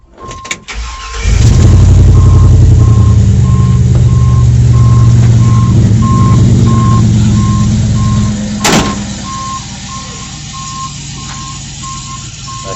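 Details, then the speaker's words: 1970 GMC C10 on first startup after a 5.3 LS swap from a 2004 Yukon, with a 4L60E, stock cam, MAF sensor and O2 sensors: a quick crank, then the V8 holds a steady, even idle under a repeating chime before easing down; runs cleanly. "I'm just saying that car runs pretty good for now I guess I mean there's no cam in there so I was expecting it to sound like what it sounded like"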